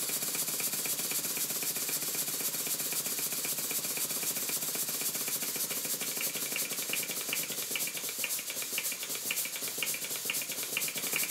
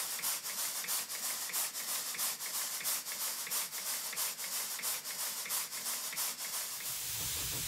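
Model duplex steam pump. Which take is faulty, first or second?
first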